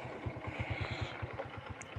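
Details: Honda Supra 125 motorcycle after overhaul, no more ticking or stumbling on throttle blips: slow, uneven putting around seven beats a second, lumpy and near stalling; idle set too low, possibly below 1000 rpm.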